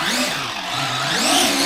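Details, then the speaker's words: Arrma Gorgon RC truck after a hard nose hit caused gear noise, now fixed: gear mesh reset with slight wiggle once both screws are tight; smooth motor whine rising and falling with throttle, no skipping or crunching, normal drivetrain operation. "so once both are tight you want to still confirm little bit of wiggle and that's usually about right and now it works again just like"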